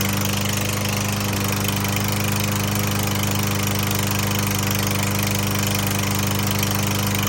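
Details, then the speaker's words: Troy-Bilt TB110 21-inch mower after a new carburetor and spark plug: steady idle with a hard clack three or four times a second despite plenty of oil. Owner suspects piston slap and serious internal damage; unconfirmed. "I know why they got rid of this it sounds like a slapp in the Piston the Piston slapping this thing's a piece of junk"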